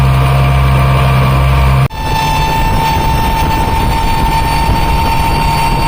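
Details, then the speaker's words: Mercury Verado 350 outboard under load at wide open throttle with the top cowling off, a deep steady drone with a clear high supercharger whine on top; normal, nothing abnormal, louder without the cover. "they are definitely loud when they're running wide open without that top cover it makes a big difference how much isolation that that cover makes"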